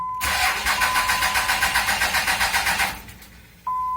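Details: 5.9 Cummins diesel with good battery voltage. The engine turns over at about four labored pulses a second for under three seconds, then quits. The two-year-old remanufactured starter was confirmed failing, and a warranty replacement was obtained.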